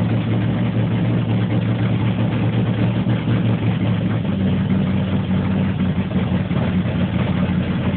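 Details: 1980 Corvette TPI, warmed up after driving, hard start then rough idle needing throttle; ran clean after about 15 seconds but idle hunts between 500 and 1000 rpm every few seconds; cause not confirmed.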